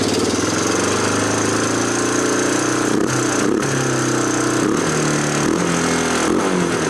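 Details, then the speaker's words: 1987 Honda TRX250 Foretrax ATV, no air filter and intake boot disconnected: single-cylinder idle stays high even after backing off the idle screw by the exhaust; vacuum leak suspected, engine also sounds metallic. High idle. "it's still up there either we got a vacuum leak somewhere I'm wondering because that's usually what causes a hiatal like that"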